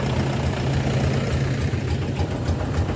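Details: Pickup with a fully dead battery started after 20+ minutes charging from a walk-behind tractor's alternator over a 20 m plain wire: steady deep diesel-like idle, even pulse, no misses or knocks; idles normally.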